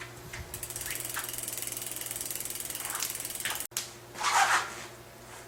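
Rapid, even freehub clicking as the wheel spins, slowing gradually, with no rubbing or squeal from the disc brake.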